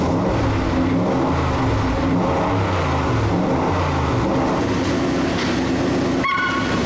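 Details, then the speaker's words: Boss 5.0 Coyote V8 swapped into a Bronco, first start after a week of rewiring: strong, steady V8 rumble with a busy low growl and no ticks or knocks; the engine runs healthy. "oh, it's so nice. I'm gonna hold that, shut off."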